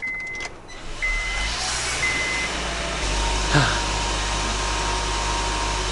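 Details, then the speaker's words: 2003 Honda Civic Hybrid petrol engine at idle after repair: an even hum with steady background noise and the earlier ticking now gone. Normal, healthy idle. "I am so glad that that ticking sound is gone. Praise the Lord, man."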